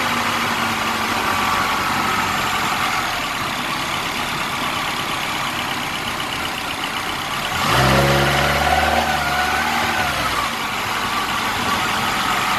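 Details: 2009 Mini Cooper Clubman S: steady idle hum with a brief low throbbing purr rising midway then settling; owner doesn't know what the purring noise is.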